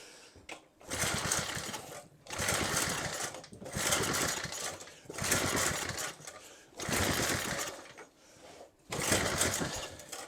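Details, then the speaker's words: Rototiller engine being reassembled, after a sticky gasket by the starter clutch was freed with WD40: repeated rough pulls on the starter about every second and a half, engine chuffs but never catches; cranks but won't start, cause unconfirmed. "it so badly wants to I can feel it I can hear it"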